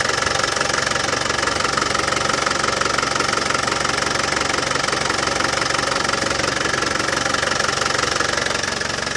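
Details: Land Rover Defender 200TDi diesel at steady warm idle after the power steering pump was replaced and the steering bled: even, regular clatter with no rattle on top; normal healthy idle.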